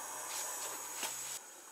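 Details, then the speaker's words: 1999 Yamaha Wolverine 350 4x4 ATV four-stroke, leak-down test with both valves closed: steady high hiss of air escaping at the carburetor for about 1.5 s, then dropping away; intake valve not closing, leaking. "You can hear we're getting air coming out the carburetor with both valves should be closed. So it tells me the intake valve is not closin"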